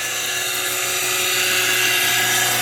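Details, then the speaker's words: Old pool pump moving stored rain water to a garden, with gunk possibly stuck inside. Piercing high-pitched whine holds steady under a hiss of running water; the pump sounds strained and the cause is unclear. "some kind of gunk stuck in there anyway that's the way that is and yeah that pump doesn't sound great but we'll see it'll run as long as it runs"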